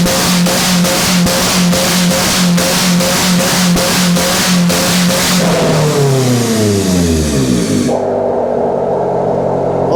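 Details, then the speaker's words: Honda after welding all over it with the battery still connected: the engine revs cleanly with an even pulse, then the pitch drops smoothly as it settles; it runs strong with no misses or knocks. "you just can't kill a Honda listen to her purr oh yeah just can't kill him"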